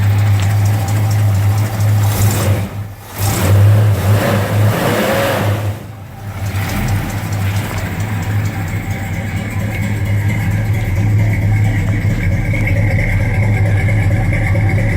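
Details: 1969 Dodge Charger 500 Daytona with its original L-code 440 V8, on a cold day: deep, even idle with a steady low burble and no knocks or ticks; normal idle.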